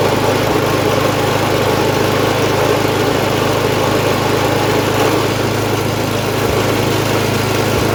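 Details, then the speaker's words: MTD snowblower sat about a year, revived with fresh gas plus cleaner, primed, choked, throttle about half: single-cylinder runs steady and even at fast idle, no misses or knocks; runs well, auger works. "okay so as we just saw this thing runs pretty pretty well and I also showed you guys the auger works so that's good"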